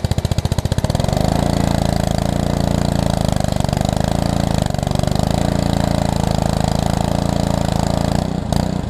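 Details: Pressure washer's small engine, from a $75 lot of used equipment, starts after a few pulls once hooked to water and purged; it settles into a steady, even low drone with no misses or knocks. Running healthy.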